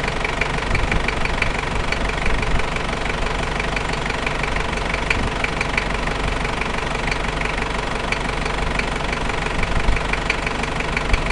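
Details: New 1KZ-T diesel engine idling: sharp, uneven tapping knock about one to two per second over the clatter. Engine knocking at idle, source undetermined.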